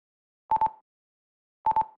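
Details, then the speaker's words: INAV plane/wing with permanently enabled auto launch: once armed, short bursts of quick high double beeps about once a second while waiting to be thrown; throttle won't respond until launched. "so whenever I arm the model it's waiting to be thrown you'll hear a little beeping noise a double beep"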